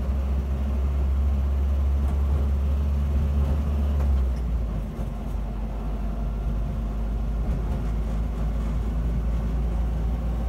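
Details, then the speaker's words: 1976 Land Rover Series 3 109 with a 2.25 petrol engine, driving before exhaust replacement. The exhaust is holed with little steel left and blowing at the manifold, where a botched over-long bolt sits in a stripped stud. Heavy, loud low rumble and roar. "It's noisy, as you can hear. Well, today I'm dropping it off to get a new exhaust fitted, because the one fitted is somewhat, not a lot of steel left."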